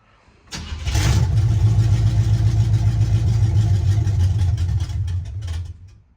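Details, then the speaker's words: 1976 Chevy C10 small-block 350 V8 just converted from 2-barrel to 4-barrel carburetor, choke cable not yet wired: fires on a pump of gas, runs a few seconds on a low uneven burble, then sags and stalls; too much choke suspected. "okay well it runs so sounds like we don't have we have too much choke so I haven't wired the choke cable on yet"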